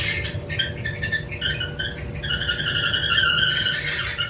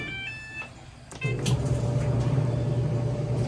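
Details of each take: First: Maytag Bravos dryer (MEDX500XW0) with back bulkhead dropped; high chirping squeal with steady whine while the drum turns, stopping at shutdown, from a likely bad, binding idler pulley. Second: Maytag Bravos dryer MEDX500XW0 after the idler pulley was replaced to cure a loud squeal: start beeps, then the drum settles to a steady, even low hum with no squeal. The fix is confirmed quiet.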